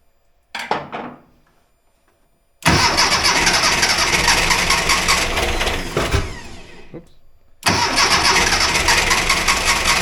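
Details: 1982 VW Vanagon Westfalia air-cooled engine after restoration and fixing starting and fuel problems, idle adjusted at throttle body, not yet warmed up: catches with an even, busy roar, brief stumble near seven seconds, recovers; normal idle, charging 14 volts.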